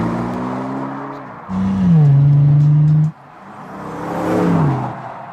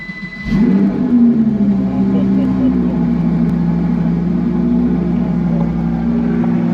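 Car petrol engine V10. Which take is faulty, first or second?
second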